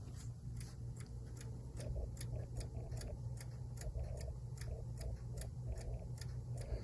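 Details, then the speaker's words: Chiming clock being repaired, possibly broken spring and chime: crisp, even ticks about two and a half per second over quiet room hum; movement now ticking steadily and the hand moves. "So she's ticking and talking."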